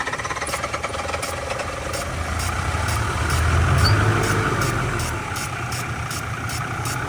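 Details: Ford 6.0 Powerstroke F350 diesel, stranded, retried after sitting about an hour and a half, ether considered: steady starter chugging with knocking beats that swell briefly as it tries to fire, then fade; cranks but won't catch, cause not yet known.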